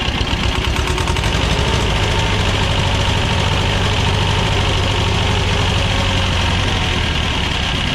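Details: Belarus 250AS diesel tractor, sat for years, revival with fuel system and injection timing work, fuel leak at first-stage filter seal: steady even idle that never picks up speed; idles but will not rev.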